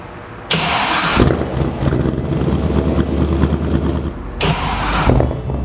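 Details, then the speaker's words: Freshly rebuilt V8 on its first fire, run only briefly with no coolant in it: it catches and settles into a deep, even rumble with steady firing and no knocks or misses; the rebuild sounds healthy. "So this is going to be the first fire, is it, Bill? Yeah, again, I'm just reminding you, we can't leave it long. There's no water coolant."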